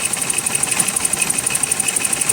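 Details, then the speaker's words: 1988 BMW 528e at idle with three cylinders misfiring, since pulling plug wires changes nothing; fast, uneven stumbling tick over a thin idle. Owner is almost certain the crank sensor is the cause, not yet confirmed. "so we got a misfire on three cylinders and i'm almost certain that the culprit is this crank sensor"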